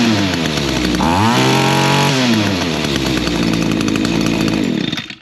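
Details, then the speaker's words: Echo two-stroke trimmer after carburetor adjustment for lack of full throttle: revs to high buzzing whine then drops smoothly back to steady idle, head not spinning; normal idle. "And your idle has to be checked. It's a nice good idle. Uh the head's not spinning or anything."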